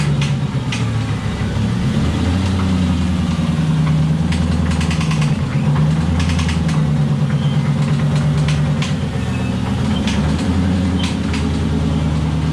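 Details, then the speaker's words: BMW E36 drift car with LS-swapped 4.8 V8, failed after a hard spin, suspected oil starvation: rough idle with rapid metallic knocking, metal shavings on dipstick; owner suspects rod/bearing failure, engine knock. "definitely sounds sort of like the top end but the fact that there's metal shavings on the dipstick it just kind of says uh says it all and says it's gonna be bearing relat"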